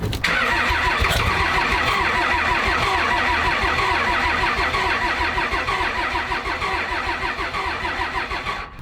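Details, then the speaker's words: Dodge engine suspected of low compression in one cylinder, runs and drives okay but sounds wrong at idle, cranked on a cold 20-degree day: steady starter cranking with a compression beat that speeds through one stroke faster than the others; uneven cranking, suspected, unconfirmed. "the starter is spinning the engine over a little faster in one particular area than the rest"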